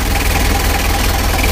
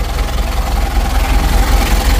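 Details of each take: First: Rebuilt 2000 Mitsubishi L300 diesel engine at idle: a steady idle with a hard, dry clatter on every firing stroke and no other noise, a diesel knock because the injection timing is set too far advanced. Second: Rebuilt 2000 Mitsubishi L300 diesel warming up; cranks a little longer but idles steadily and evenly with no dry clatter or missed beats; normal diesel idle.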